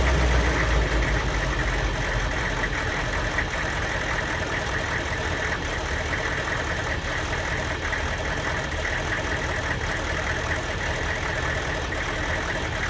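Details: Van with diesel engine: idle stumbles with an uneven beat, about four lumpy pulses a second over the clatter, a misfire from a faulty Kojo aftermarket ECU tune; worse when hot, barely 45 mph; a stock junkyard computer fixed it.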